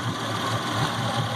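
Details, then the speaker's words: Yamaha F250 V6 fuel-injected outboard after flushing water out of the fuel system, running on shop fuel, water likely still in injectors and rails: low lumpy idle with a dropped beat every half second or so; misfire on at least one cylinder. "definitely got a miss on at least one cylinder so i don't know if y'all and youtube lane can hear it but definitely got at least one cylindrine hidden"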